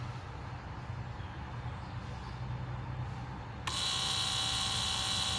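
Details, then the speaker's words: 1999 Lexus GS 300 after brake booster master cylinder assembly replacement for a cabin buzz and no-brakes fault. Key on after 40 brake pumps, during pump programming. Over a low hum, the pump starts a steady, even high buzz as the fluid level drops. Normal ABS pump cycle. "You'll see it go down as the pump comes on. Fluid level drops."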